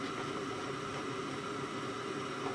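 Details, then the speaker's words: Sharp WQ-CH800 boombox with five-disc CD changer on FM radio: only steady static hiss, no station received, and both speakers sound gone. The antenna is reportedly broken off and rusted. Cause suspected, not confirmed. "I think the antenna was bust off this one, he said. Yeah, and rusted."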